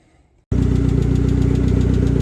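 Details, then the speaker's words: Rover Metro Turbo (K-series) just reassembled after rear crank seal replacement, first start with coolant refilled and bled, warming up to temperature awaiting fan cut-in; engine catches and settles to steady idle with light regular ticking, still sounds tappy, cause not identified. "well not that you can probably hear me but it's up and running got coolant in got it all bled up um so yeah just getting up the temperature now see if fan Cuts in um that is about it really still sounds really taby"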